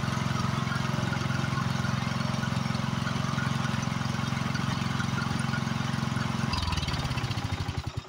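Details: Free Husqvarna YHT20k46 hydrostatic riding mower, hood closed, after its blown Kohler Courage engine was swapped for another motor, runs steady and even with no knocks or misses, then winds down at shutoff; it runs good.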